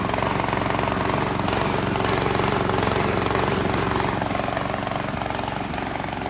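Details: Italian-made Workman 2 cement mixer with Honda GX160, about 15 years hard use, running on choke with some throttle and no load: fast, slightly uneven surging chug; owner says it bogs, spits and falls on its face under load; fuel looks black; rough running.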